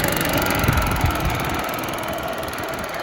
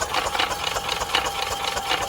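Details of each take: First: Yamaha golf cart that sat 6–7 years, revived and driving toward home: steady small-engine drone under road and wind noise, no knocks or misses, pulls evenly; normal running while driving. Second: Yamaha golf cart engine after sitting 6 or 7 years, being cranked after its carburetor jet was flushed: the starter turns it over sluggishly, about four strokes a second, battery not so hot; slow cranking from a weak battery.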